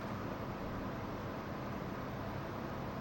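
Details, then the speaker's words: Newly installed heating unit in a library, firing up on its lowest setting. A constant deep rumbling hum, loud and industrial; owner suspects it is exposed in an uninsulated cavity and plans plasterboard and insulation around it. "I think the issue is is that because it's open, it's in a cavity, there's no insulation around it, it's just making a lot of noise."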